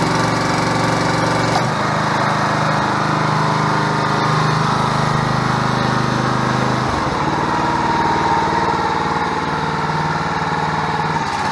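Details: Portable hydraulic power unit: 6.5 hp gas engine driving a 13-gpm two-stage hydraulic pump at 2000 psi, 7-gallon oil tank, single spool valve. Engine runs evenly, dips slightly as the pump takes load around seven seconds, then holds steady; healthy running.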